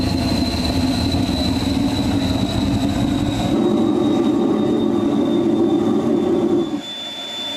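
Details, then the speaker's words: Homemade jet engine (gas turbine) built from a turbocharger, propane-fuelled student project from May 2005, running with afterburner: steady jet roar and thin high whistle, tone changing and firming as the afterburner lights, then dropping back; normal run. "you'll be able to push button the afterburner I'm sure you heard the tone change once afterwards started going"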